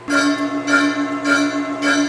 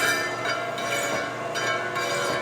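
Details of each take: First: Lion lathe turning a flat belt pulley before setting up the taper attachment. Clear bell-like ringing pulses about every 0.6 seconds over the cut; the pulley is ringing like a bell from vibration and chatter. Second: Taper-turning a flat belt pulley on a Lion lathe with the taper attachment, at reduced speed and damped by an aired-up tire inner tube: steady cutting with a faint even ringing and no harsh chatter, where earlier there was bad chatter.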